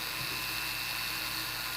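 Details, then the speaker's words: Jewelry flex shaft motor running smoothly at about 9,000 rpm, roughly half of 18,000, for polishing: steady, even high-pitched whir with no wobble or grinding; normal running. "that is, I'd say, roughly around about half from that. Okay, so I'd say that's roughly around about 9,000 revs, and that would be the only way for you to gauge how fast that's going."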